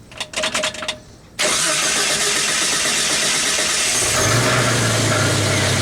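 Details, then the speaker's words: 1991 Jeep Wrangler YJ at idle: engine catches and settles to a busy idle with a loose metallic rattle in the exhaust from broken-up honeycomb inside the catalytic converter, before converter delete. "but come to find out once i got to mess with it i figured it out that it was inside this right here so i'm gonna start it up so if it makes all that rattle sound so you guys can you know get an idea what i'm talking about"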